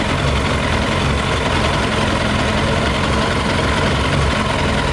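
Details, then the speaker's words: Yamaha YZF 600R carbureted motorcycle running on 40% alcohol whisky after the tank and carbs were drained: uneven, lumpy idle with irregular low pulses. Some petrol was possibly still left. Rough running on the wrong fuel. "I record this in real time we're running but it's like a running a bit different now you can hear it listen I don't know"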